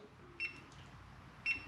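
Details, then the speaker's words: Ortur Laser Master 3 engraver: three short high electronic beeps after the emergency stop button is pressed, halting the machine; turning the button clockwise releases it. "I believe the next safety feature is this emergency stop button if for some reason you need it to stop instantly just hit that button and you can hear that beeping it stopped when you want it to go again just turn it clockwise"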